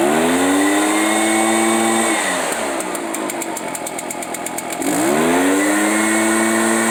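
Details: Echo PB-500H backpack blower, already warmed up: revs climb steadily, then sag and stumble for a few seconds before recovering; intermittent bogging under throttle, fuel filter and spark arrestor to be checked.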